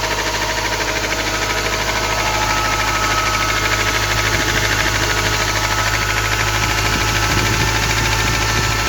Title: Ford transit 2.4 PHFA any idea?acceleration knocking sound Sunet ciocanit acceleratie. Ceva ideii?